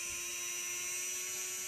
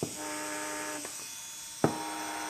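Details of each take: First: Brushed RC motor spinning free on the bench, timing swept from 12° to 0° to -2°. Thin steady high whine that drops as timing goes past zero into retard. Retarded brush timing slows the motor. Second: so let's uh let's see if these are speed matched this is the rear motor front that sounds a little bit higher pitch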